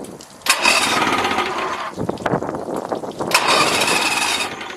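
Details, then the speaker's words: Outboard on a boat at the lake, primer bulb full and hard: engine catches and buzzes about a second, sags, picks up briefly, then dies each time; owner suspects fuel starvation. "all right so yeah every time I pump it it'll start for a few moments and then it just dies you know what I'm saying"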